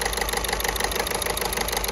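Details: VW Golf 6 1.6 TDI at idle with the engine shaking a lot: sharp metallic clatter in quick, even beats with every firing, a hard injector knock; unplugging connectors one at a time is used to find the cylinder.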